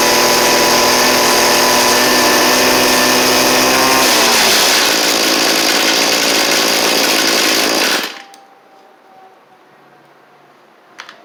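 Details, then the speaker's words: Cheap two-stroke string trimmer after new carburettor and fuel lines: screams at high revs, wavering and sagging in pitch before cutting off; high-speed mixture suspected off, adjustment screws far out. "We're not getting a lot of gas coming on the high side, I think. Or maybe too much. These things are out pretty far."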